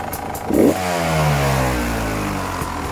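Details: 2018 Beta RR 300 two-stroke revs up and settles, with a faint clatter riding over the buzz; abnormal engine noise, cause not pinned down.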